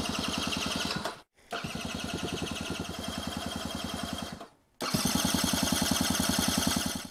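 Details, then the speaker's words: 1980s Honda Gyro sat 10+ years, jump-started off a Nova: steady starter cranking about three and a half strokes a second with good compression, never catching; fuel starved, carburetor later rebuilt. "Okay, let's see if it tries to do anything it sounds like it's got compression now I think we just need to put fuel in it"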